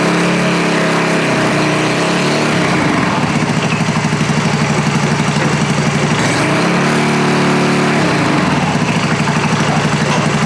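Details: American Sportsworks Carbide 5150 go kart, GY6 150cc single, just running after starter clutch (one-way bearing) replacement; fast, even putter, revs holding with brief dips, firing smoothly, healthy normal running.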